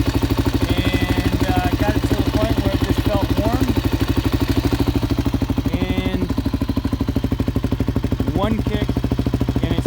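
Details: 1986 Kawasaki KLR 250 single, 8,776 miles, hard cold starting, started first kick after heat-gunning carburetor intake and carb: steady, even thumping idle a bit over three beats a second, slightly ragged but clean; normal idle.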